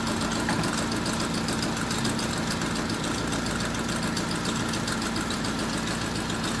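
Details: Honda idling with a check-engine light and DTC for ignition coil primary circuit: lumpy, uneven idle with irregular stumbles and shakes; one ignition coil found faulty causing a misfire.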